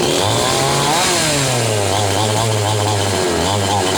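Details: Chainsaw after replacing a faulty spark plug that was causing misfiring: strong, steady two-stroke buzz climbing and settling smoothly with throttle, no misfire or stumble; normal running.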